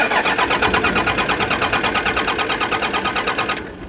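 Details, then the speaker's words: 1993 Dodge D350 dually, 12-valve Cummins diesel revived after 15+ years sitting: even starter cranking that never catches, suspected to be a bad connection in the fuel shutoff solenoid's 12 V feed; engine had just been running. "well she was just running here let's try it again all right I think that was just a bad connection here"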